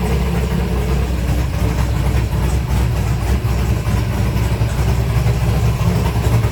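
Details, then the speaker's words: 1964 Ford Fairlane 427 big-block FE V8 with modified dual carbs, not yet warmed up: steady burble idling about 900 rpm with light throttle blips rising cleanly; sounds healthy, normal idle and free revving. "It's not even warmed up yet. >> It sounds good, though. >> That revved up about 45 herz."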